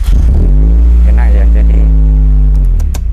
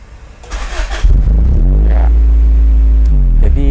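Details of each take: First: Fuel-injected engine after fuse upgrade (IG fuse 50A to be replaced with 80A, following a 7.5A fuse): starter whirs briefly, engine catches within half a second and settles into steady, even idle; clean start, owner still not fully convinced. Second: Cold fuel-injected engine with undersized 7.5A and 10A fuses causing low supply voltage; cold idle should be 1500 rpm dropping to 1200. Short crank, catches, revs up and sags unevenly; hesitant, poor start instead of easy restart.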